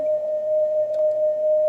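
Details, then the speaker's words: Roadside-found Stern tape recorder during tape speed adjustment: the test tone sits near 600 Hz instead of the 1 kHz target, so the tape is running too slow. "you can see that the entire assembly is actually running much slower"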